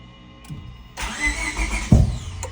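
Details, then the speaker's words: EG Honda Civic with a P28 ECU, new distributor and charged battery, first start attempt after it died on the road: the starter turns over and the engine seems to catch briefly but never fires into idle; it cranks with no start and the cause is undiagnosed. "So, we charged the battery and we're going to give it its first"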